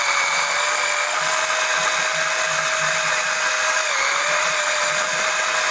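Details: Electric oil transfer pump extracting oil during an oil change on an OMC 140 boat engine: steady high electric whine over a constant hiss with one brief dip in pitch; the pump runs normally.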